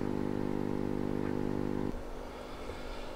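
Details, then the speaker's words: AM radio fitted with an FM receiver module powered from the 6.3 V supply; steady low buzzing hum under the radio sound, then cuts out; the module's DC converter leaves about 20–25 mV ripple, absent on battery power. "the power supply on this little module that converts the 6.3 volts to DC isn't quite doing a good job so you got about 20 25 millivolts of ripple on the supply"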